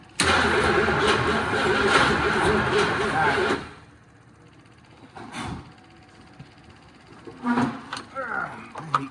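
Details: 1979 Ford F-350 Ranger XLT 4x4 with 351, first start after 40 years sitting: steady, even starter chug for a few seconds, then silence; never fires, prolonged no-start crank.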